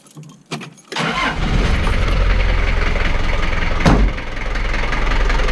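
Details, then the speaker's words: 1985 Daihatsu Rugger F75 long-wheelbase turbo diesel 4x4, a daily driver, started before a drive: short crank catches within a second, then a deep, even diesel clatter settles to a steady idle with one small blip; loud but runs fantastic. "me an idea of what it sounds like idling it's pretty loud but not obnoxious it's like all engine noise and it runs fantastic"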